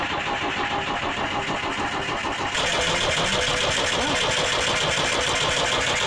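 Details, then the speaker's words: Digger diesel engine being started. The starter turns it over at a steady fast churn, about three beats a second, but it never catches. Long crank with no start; the battery is possibly flat. "sounded like she was gonna fire right up."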